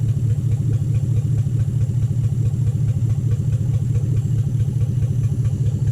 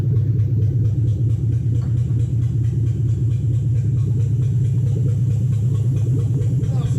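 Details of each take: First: 2007 Toyota Hilux Vigo 4x4 with a swapped 3UZ Toyota V8 and manual gearbox, idling after a suspected lost coil on one side was fixed, right-hand side running properly: a deep, even V8 idle with a regular pulse and no missing beats. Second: 2007 Toyota Hilux 4x4 with swapped 3UZ V8, first runs after swap: deep, lumpy idle, uneven beat about two pulses a second; misfire, suspected lost coil on one side, right-hand side later sorted and running properly.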